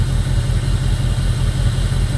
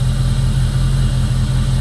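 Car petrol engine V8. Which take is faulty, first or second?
first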